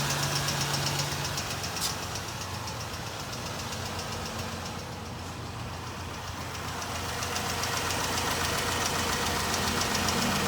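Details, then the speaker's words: 2014 Ram 1500 3.6L V6 idling with a sharp, steady tick about four a second, pinpointed by stethoscope to the left valve cover; found to be a failed lash adjuster, recorded from under the truck. "Okay, first of all, with the ticking noise, I found it to be one of these Lash adjusters to be bad."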